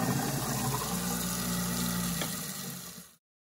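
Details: Garbage disposal after cooling down and pressing the red reset button underneath. Steady low motor hum with running water, spinning evenly then coasting down: runs normally after the reset.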